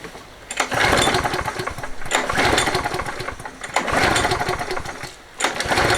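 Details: Toro 20789 mower with Briggs & Stratton Intek engine (hot-restart trouble), after new fuel line, filter and plug: four pull starts, each firing briefly then dying, same as before; spark good, so carburetor suspected.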